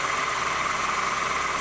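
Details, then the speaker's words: 2008 Honda New Civic, cold engine at low idle: steady high ringing tone over even idle that doesn't fade even when belt is tensioned; accessory belt tensioner already replaced twice; power steering pump bearing noise. "e a gente já percebe que o que que o barulho não diminui né"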